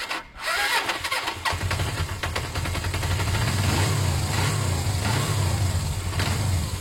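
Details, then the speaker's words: Motorcycle idling with an engine knock while revving fine with no loss of power: steady, lumpy idle with a light knock that is hard to pick out. Owner suspects it may just need fresh oil; cause unknown. "okay so yeah that's not something too healthy at all at this stage is that engine knock"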